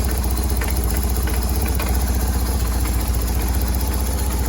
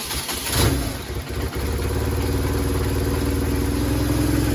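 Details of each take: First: 2000 BMW R1100RT motorcycle, which had been bogging under load, first run after service with the choke on: uneven, loping, stumbling idle at about four pulses a second. The owner attributes the rough running to the choke. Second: 2000 BMW R1100RT after service and carb adjustment: it catches and settles into a steady, even idle with a firm low thrum and no misses; the twin is running healthy.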